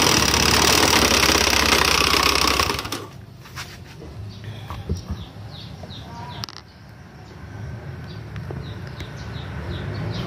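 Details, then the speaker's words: Honda Beat FI scooter: loud, harsh, rapidly pulsing roar from the CVT that drops away to a quiet idle. The scooter won't move or drive the wheel on throttle, caused by a drive belt that broke from overlong use. "Tadi sudah di banyak motornya, suaranya sangat kasar, teman-teman. Di bagian balting, bagian CVT, suaranya sangat kasar ya. Di gas pun banyak tidak memutar, teman-teman."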